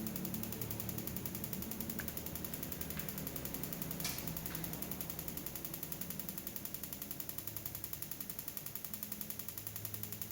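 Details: Interrupter box on a roughly 9 V bench supply firing spark plugs through coils, with a fan running: rapid, steady, evenly spaced clean snapping at nearly four crackles a second; normal spark plug firing.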